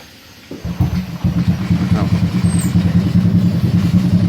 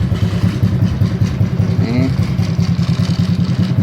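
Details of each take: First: Honda Supra X 125 motorcycle, not run for several days: catches on the first try and settles straight into an even, steady idle with no misses; healthy cold start, number plate rattles slightly. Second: Honda Supra X 125, started after several days unused, idling: steady single-cylinder idle with a loose, buzzy rattle on each beat from the vibrating license plate; headlight housing also vibrates.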